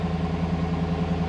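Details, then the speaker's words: 2010 GMC Yukon 6.2 V8 after a DOD/AFM delete with a stage 2 L92 cam: steady, even idle with no lifter ticking at 50 psi oil pressure. Normal idle, though oil pressure still runs low with the new pump and a rough idle is starting. "um well right now i mean it's it's in 50 psi but as you can hear out here no no lift or noise"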